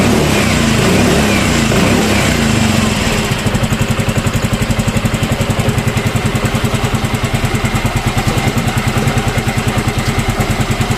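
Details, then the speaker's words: Yamaha Mio M3 scooter idling with a steady, even low putter after repair. The rough engine noise was cured by replacing the camshaft bearing; the noise is gone. "Nah jadi ee untuk suaranya sudah udah hilang ya nah ini untuk motornya udah sembuh ya untuk suaranya udah hilang"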